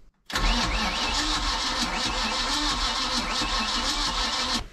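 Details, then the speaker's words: Boat with 454 big-block engine, batteries at 12.4 volts, fresh fuel added: starter turns the engine slowly and laboriously for about four seconds without firing; slow cranking from low battery, spark also questioned. "not that bad spinning slow right I got a jump pack on it now too let's see if that makes any difference"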